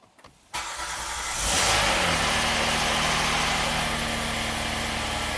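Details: Hyundai SUV after replacing the bank 2 intake cam phaser (timing chain left alone), no trouble codes: a quick crank catches cleanly, briefly revs on cold fast idle, then settles to a steady, even idle without knocks or ticks; normal start and idle.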